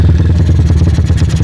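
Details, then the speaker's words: Megapro/CB 240cc built engine, 68mm piston, 66mm stroke, high cam overlap, PWK 28 carb with 35/120 jets, throttle cable still pulled: deep, fast, uneven lumpy idle; attributed to high overlap, carb still not right. "Suara langsamnya seperti ini teman-teman, karena ini saya tutup biar saya ngomong kedengeran. Ini suara langsamnya putus-putus seperti ini kalau menggunakan overlap tinggi."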